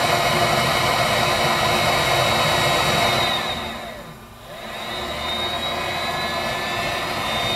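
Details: Viessmann Vitodens 200-W WB2B35 condensing boiler, built about 2011, in service about 5 years: blower whirs steadily, dips away, then spins back up with a faint rising tone, but no burner roar. It is in its hung state, circulator pump still running, no fault codes; cause unknown.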